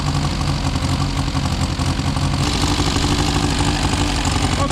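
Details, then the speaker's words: Four-cylinder car restarted after sitting some 35–40 years, no adjustments made, choke in use: lumpy, uneven idle with stumbles, firing on four most of the time and occasionally three; rough idle misfire, owner suspects timing is off. "so she's running pretty rough but I think sounds like it's firing on most of the time on four cylinders timing's probably off"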